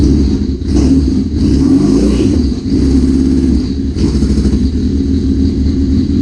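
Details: 1981 Suzuki GS650GL, first start after rebuild with new battery, plugs, oil, filter and pod filters, fuel petcock on primary, on choke: loud low exhaust burble with uneven revving, rough but keeps running; a small carb fuel leak is suspected.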